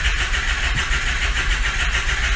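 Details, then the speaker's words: Ford F550 6.0 PowerStroke diesel, no-start with no glow plug codes and a possibly failed FICM logic side: starter cranks at a steady, slowish rhythm with good compression but it never fires. Cause suspected, not confirmed. "it's cranking pretty freaking good it's slow though it's cranking pretty good"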